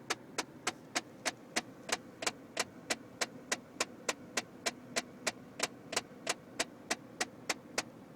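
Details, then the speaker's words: Car interior: sharp, even metallic ticks about three a second over quiet cabin hum; the source is unidentified and the owner has no idea what it is. "I have no idea what that is. It almost sounds like something trying to get out of there."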